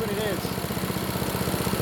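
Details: Vintage Honda Harmony after full tune-up (carb, valve lash, ignition, oil): quick, even single-cylinder putter holding about 1910–1920 rpm with no surging or misfires; runs healthy.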